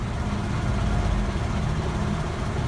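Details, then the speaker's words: 2007 Toyota Corolla just after clearing P0441 purge flow code by disconnecting the battery; low uneven idle sagging and wavering as if about to stall, rough idle, cause not pinned down. "I'm thinking that idle situation, that rough idle, almost like it's going to"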